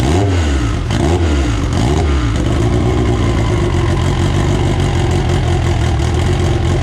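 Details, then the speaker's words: AWD EG build first start on a borrowed 2000cc-injector tune: catches, blips up cleanly a few times, then settles to steady even idle with no knocks or misses; runs healthy. "alright guys well there you have it the car officially runs uh it runs pretty good"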